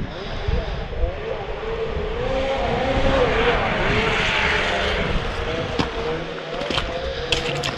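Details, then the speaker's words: 2011 Arctic Cat Crossfire 800 two-stroke snowmobile after unplugging faulty tail light that caused no gauges, bogging and limp mode: snarl builds cleanly and holds strong passing by, no bogging or misfire; running healthy. "so we took the tail light apart we unplugged it and the thing is just ripping"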